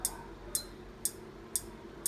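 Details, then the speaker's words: Induction cooker brought in for repair clicks repeatedly every half second and never heats; no burnt parts and no error code, only the buzzer beeping; the large 820k resistors on the mainboard are checked. "電源を入れてお湯を沸かすカチカチと音がしますね鍋を減らすことができます加熱できません"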